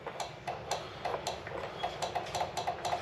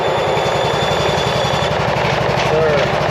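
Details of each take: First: Cub Cadet RZT 42 zero-turn mower, likely dead battery, trying to crank: sharp regular clicks about three or four a second over a steady hum from the PTO clutch area; PTO clicking, power not getting through. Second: Cub Cadet RZT 42 zero-turn mower, started after plugging in the hour meter that had stopped it running: the small engine catches and settles into a steady, even idle with no misses, knocks or hunting; it sounds healthy.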